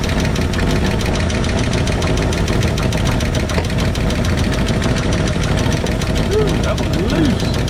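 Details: 1968 Ford F100 V8, valve cover off, even idle with a fast, sharp ticking from the top end that keeps pace with the engine as the rockers are backed off until they clack; valve train clatter from loose valve lash.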